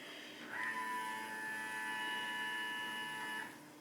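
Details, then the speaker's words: VW Touareg 3.0 TDI after a fuel filter replacement, fuel pump run by a scan-tool output test to prime. A steady electric hum changes as air leaves the filter housing and pressure builds, about three seconds. Normal priming. "so as the as the as the um filter housing fills up it uh the sound is changing that's the air coming out of it and then the pressure is rising to the way it's supposed"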